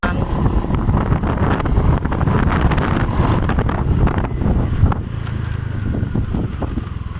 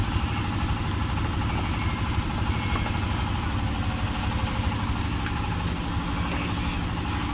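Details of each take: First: Honda Vario 125 scooter hesitating at mid and full throttle: engine revs unevenly, stumbling and surging at higher rpm under wind noise; throttle position sensor suspected faulty. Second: Honda Vario 125 scooter, hesitating at mid and full throttle from a faulty throttle position sensor, being revved during testing: steady, even engine drone with no stumbling, surging or cut-outs; running healthy.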